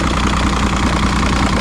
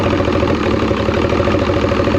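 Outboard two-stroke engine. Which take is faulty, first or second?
second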